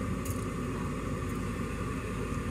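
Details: Furnace draft inducer motor running evenly with a steady low rumble, no knocking or scraping, after being spun free by hand; it had been humming but not turning, owner suspects debris or a moth blew into it.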